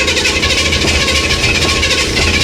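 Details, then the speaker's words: 1964 Chevy Impala with Edelbrock carburetor, about 5 psi fuel pressure: fast, busy idle with hiss and buzzy high note, far above normal; turning it down did nothing, owner concludes it is ignition timing. High idle. "here okay here okay that's way too high so we're gonna go ahead and turn it down"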